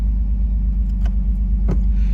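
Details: Pontiac Fiero with hot cam, after new injectors, timing at 10° BTDC, about 20 inHg vacuum: deep even low rumble with a steady beat and no misses or knocks; normal idle.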